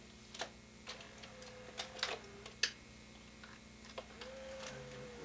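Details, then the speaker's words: VCR with a very poor picture, running a known-good factory tape: soft irregular clicks as the mechanism threads, then a quiet steady motor whir; transport loads and plays normally, video head needs cleaning. "We're going to run that I know that is a good tape and should run"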